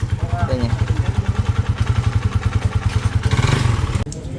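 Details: Engine run with almost no oil, less than a glassful left after a forgotten oil change, odometer about 37 (units unstated): heavy regular knocking about three per second over the idle; connecting rod knock.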